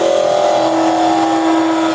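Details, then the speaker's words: Woodturning lathe turning a small goblet from under 2 inches of wood with a carbide chisel presented flat to remove wood: a steady buzzing hum at two fixed pitches rides over the cut for two seconds; tool chatter vibration from the flat presentation. "Right now you can hear that. Can you hear that? That vibration."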